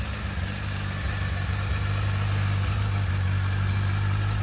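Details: Brixton Felsberg 125 X small single at idle: steady low thump with an uneven, slightly irregular beat underneath; strange noise, cause unclear.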